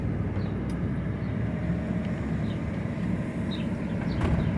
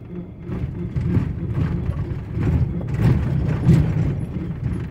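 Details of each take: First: 2006 Ford F-150 4x4 that made a driver-side noise when driving or turning, cruising with vacuum applied to the hub: only a steady low road rumble with no whirring or grinding; the front axle noise is gone. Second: 2006 Ford F-150 4x4 driving, low uneven rumbling with irregular clunks from driver's side front, intermittent; suspected broken 4x4 hoses, hub not engaging actuator properly, or damaged hub, unconfirmed.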